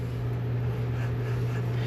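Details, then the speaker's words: 2011 Ford F350 dually front hub spun by hand during teardown: steady low droning rumble; bad front wheel bearing, being replaced. "definitely a bad wheel bearing without a doubt that is a bad wheel"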